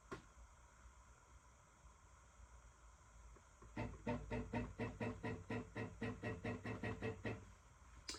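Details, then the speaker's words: Alt-Mill CNC machine just assembled, e-stop released, axes jogged left-right, front-back and up-down: quiet room with even pulsing stepper whirs about two a second; smooth, normal axis motion. "that sound that you hear is the altim so let me so I'm going to jog I'm going to move here and I'm going to just jog it left and right"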